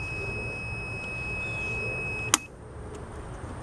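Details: Electric range top burner tested with ohmmeter: steady high continuity beep for about two seconds, so element is good; nonworking burner suspected from burned receptacle block with prongs not making contact.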